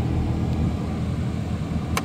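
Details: 2004 GMC Canyon HVAC blower after replacing blower motor resistor, previously working only on speed four: steady, even rush of air with a low hum, no squeal, rattle or cutting out; blower runs cleanly.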